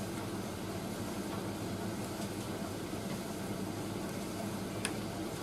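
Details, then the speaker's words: Indesit IS31V 3kg compact reversing tumble dryer during drum reverse, heater staying on during reverse; quiet, steady low hum from drum and fan with no scraping or squeal, running normally. "oh there's a reverse so unlike the white knight we don't cut the heater off during reverse and oh that's nice and warm and"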